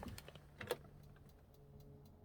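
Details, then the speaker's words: Dometic caravan fridge after replacing the ignition battery, gas off: a quick run of sharp ticks, then fainter regular clicks about every quarter second over a quiet hum; igniter is clicking, gas operation not yet tested. "I don't know if you can hear that. I can, but it is clicking."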